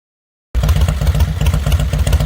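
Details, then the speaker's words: Fat Boy motorcycle idling roughly, with thumps bunching and skipping unevenly. The rider attributes this to the kill switch bouncing off the case. "That's why I was idling weird. The kill switch is bouncing off of the case."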